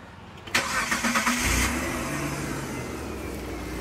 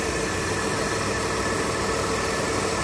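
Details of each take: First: Mitsubishi Delica V6 after camshaft seal replacement, with no leaks afterward. It cranks briefly, fires quickly and settles into an even, steady idle: normal start and idle. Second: Mitsubishi Delica V6 after camshaft seal replacement, running smooth without leaks: steady idle with a hissing, faintly whirring note; source unclear, owner suspects power steering air but found no bubbles; unidentified noise at idle.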